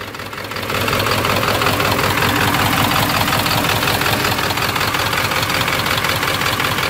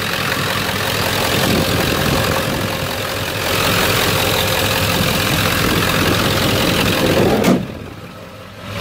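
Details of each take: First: 1997 Ford F250 HD 7.3 diesel with injectors 1 and 3 misfiring from a bent pin in the valve-cover harness connector, after new gasket and spliced connectors on one side: loud idle, uneven lumpy knock, still shaking hard. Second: 1997 Ford F250 HD 7.3 diesel after replacing all four valve-cover harness connectors and two gaskets to fix a bent-pin injector misfire on 1 and 3: steady even idle clatter, no shake or missing, truck stable, power back.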